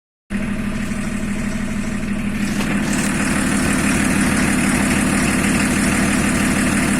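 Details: BMW E34 at idle: steady idle with a regular tapping knock about three per second over the low engine hum; engine knock, cause unclear.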